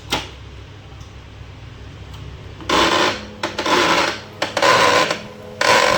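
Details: Canon LBP2900 laser printer: after a quiet start, the mechanism runs in rough, gritty whirring bursts; motor gear grinding noise.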